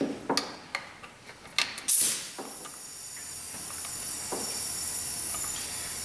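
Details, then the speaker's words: 2005 Pontiac Vibe 1.8, no start cranks OK: a few clicks, then steady high hiss of air rushing out the intake during leak-down test; about 80% leakage past bent intake valves. "oh we've got you know 80% leak down come out the intake [Applause] the intake"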